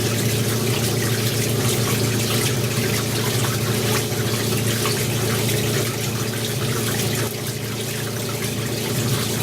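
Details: Maytag A407 washer converted to A606 two-speed setup, large load, after 45-second timer pause: steady rushing water over low motor hum, even level, as 4.5-minute drain and spin begins; draining normally.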